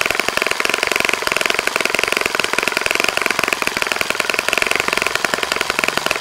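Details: Saito FA-65 model four-stroke on its first run after rebuild, APC 12x6 prop, Morgan's Omega 10% fuel, Fox Miracle plug, heavily primed to start; crisp rapid evenly spaced high-pitched firing at steady high revs, no misses; normal full-throttle run.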